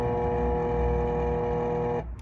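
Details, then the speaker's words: RadonAway GP501 radon fan, installed 2005, in an attic: loud steady electrical buzz with no airflow because the bearings have seized. The impeller doesn't spin, so there's no suction; replacement is needed. "So the bearings in this fan have seized up. The impeller is not spinning, and it wasn't creating any suction to reduce the radon levels."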